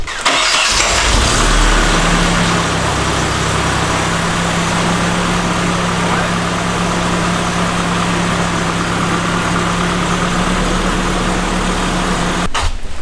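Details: Nissan S13 single-cam four-cylinder after new header and test pipe, stock exhaust and resonator still on, first run without an exhaust leak: starts and settles into steady, even idle, deep smooth note, no ticking or leak puffing; normal idle.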